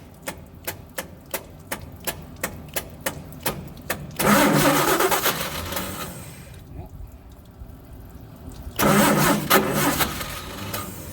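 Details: Old truck engine, cranked with choke set and gasoline poured in: slow, even starter cranking about two turns a second in bursts that never catch. Cause found to be the bad original/old ignition coil, replaced with a borrowed one. Crank, no start.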